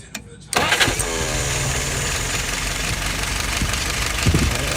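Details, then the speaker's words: Restored, tested and adjusted 938 #2: short crank, catches at once and settles into a steady, even idle, load set correctly, no drips, no errors, RPM steady about 695; normal start and idle. "Load is set correctly. No drips, no errors."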